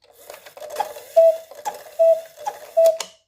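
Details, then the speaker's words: Snow White cuckoo clock after repaired bellows with new skin reinstalled: clear two-tone cuckoo calls about once a second over faint clockwork clicks, normal call. "And um try to hear the bellows if if they're in rhythm with each other."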